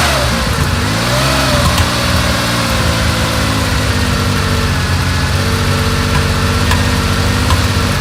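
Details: 1970 Porsche 911 T, carbureted, pre-purchase inspection after first start: loud lumpy idle with uneven low beat and deep throb while warming up; audible misfire and a felt deep vibration, cause not confirmed.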